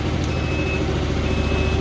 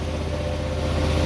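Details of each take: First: 2004 Hyosung GT250 Comet after carb cleaning, new fuel filter and battery: steady low putter dips briefly and recovers while warming on choke, choke almost fully off, idling about where it should. Normal warm-up idle. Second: 2004 Hyosung GT250 Comet after carb cleaning, new fuel filter and battery, idle adjustment tweaked: choke fully off, quick even idle noticeably above normal with slight hunting, to be left running to circulate out old bad gas. Idle set high.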